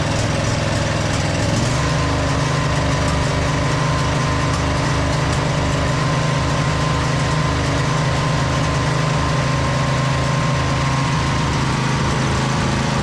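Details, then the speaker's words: 2008 Husqvarna YTH2242 with a Briggs V-twin, after repairing a bent push rod, with good even compression on both sides: a steady, even low drone with a slight surge. It runs fine now. "just sorted itself out. Slight surge in there. Not bad though."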